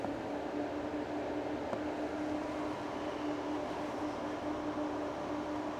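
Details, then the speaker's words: A car's radiator cooling fan commanded at the middle of three speeds through a MUCAR 682 scan tool's bidirectional actuation test; a steady, even hum at one constant pitch with no rattle or scraping. The fan runs normally and the test works. "So the bidirectional ability seems to work fine on this car."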